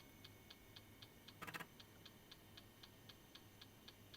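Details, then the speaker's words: Vintage 1997 laptop, Pentium 150 MHz, 32 MB RAM, 2 GB hard disk, powered at 18 V: at power-on faint steady ticks about four a second over a low hum, drive keeps clicking and the machine doesn't boot. Hard disk clicking. "Mh, il rumore dell'hard disk non è non è molto rincorante."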